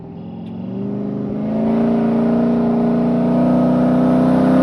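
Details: Cammed 6.0 V8 Chevrolet C10 with Magnaflow muffler and X-pipe: idles then climbs in revs with an uneven lopey exhaust beat, misfire present.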